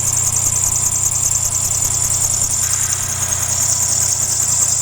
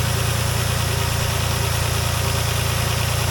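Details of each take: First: 2007 Dodge Nitro idling: constant shrill high squeal with a slight warble from a worn belt tensioner/idler pulley, which is to be replaced. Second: 2007 Dodge Nitro idling after replacing the idler pulley: even, steady low idle rumble with no squeak or chirp; belt drive and pulleys sound healthy.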